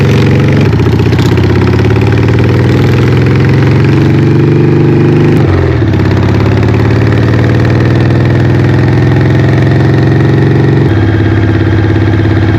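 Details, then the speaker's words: Harley Evo V-twin chopper on its first test ride after an eight-month rebuild: deep, even thump pulling cleanly through gear changes with no knocks or misses. Normal running, described as light with plenty of power. "It's just a cracking little unit. So much fun. It's light, plenty of power. Cruise along, no worries at all."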